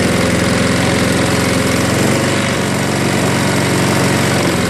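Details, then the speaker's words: Craftsman 22-inch 6 hp Briggs self-propelled mower, just started with carb cleaner after carb bowl cleaning: loud steady chugging, slow and slightly uneven; low idle speed, RPM to be raised. "Gonna have to adjust that a little bit. Get the RPMs a little higher. There you go. That's low idle right there."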